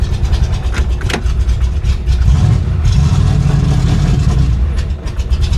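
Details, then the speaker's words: 1966 Impala with a 560hp V8 build, early start-up, cold: a deep rumble that chugs, surges and stumbles as if trying to die, a humming noise also noted. Suspected flooding, possibly the choke falling closed; unconfirmed. "Sounds like it's flooding out. Yeah, this this ain't She ain't happy."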